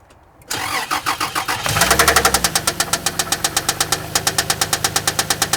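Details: Toyota Land Cruiser whose oil sample was inconclusive, tested before opening the engine. Steady idle with a sharp tapping about three beats a second. Screwdriver listening finds the knock loudest between cylinders 3 and 4; cause unconfirmed.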